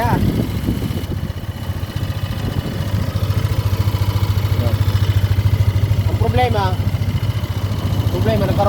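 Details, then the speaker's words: Yamaha Aerox 155 scooter run without regular oil changes, idling after gear oil change: steady rapid ticking about three or four a second over the idle; abnormal engine noise, owner suspects damaged block or rocker arms. "Yung tunog na yan mga bro, hindi normal yan sa makina. Nagkaroon ng tama, is either na block or yung ating mga rocker arm."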